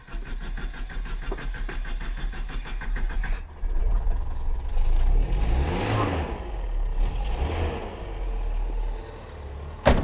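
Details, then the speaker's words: Australian-assembled Toyota Corona XT130 with Holden Starfire four-cylinder (from Gemini): starter churns, catches on second try, then lumpy uneven idle with surging blips; rough, unrefined, low-power engine. "we go we have life there is no way on God's earth but you would call that a refined engine it sounds like something from the 1940s"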